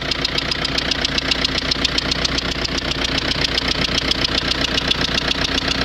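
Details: Renault Scenic 1.9 dCi diesel at idle: a sharp, regular clatter at about 2.5 beats per second rides over the engine. The owner suspects a knocking injector; unconfirmed.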